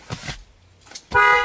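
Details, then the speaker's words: Toyota Tundra with inoperative horn, after replacing the faulty clock spring and reconnecting the battery: two quick taps then a full clear horn blast at steady pitch; horn works normally. "we go that's what I'm talking about here that's a fix guys we fixed it"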